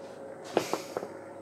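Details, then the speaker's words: Motorized 150-inch projector screen motor struggling to raise the screen: faint steady hum from a motor that isn't turning, with a few dull knocks; owner suspects a failed motor start capacitor. "you can actually hear the motor humming it wants to do stuff but it just can't do it and that's because the main motor start capacitor is stuffed"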